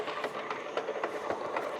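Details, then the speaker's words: Used industrial lathe bought at auction, running at 220 RPM in the 154–440 gear range: quiet, irregular clacking and ticking about four times a second over a light hum; all gears in that range sound this way, while 630–1,800 sounds fine; cause unconfirmed. "So, if we're at 220 RPM, listen to this. Can you hear that? Sounds freaking horrible."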